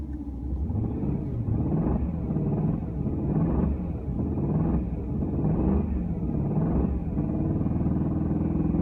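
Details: Steady engine rumble with a dull, regular knock about once a second after VAC bearings were installed; owner suspects rod bearing, unconfirmed.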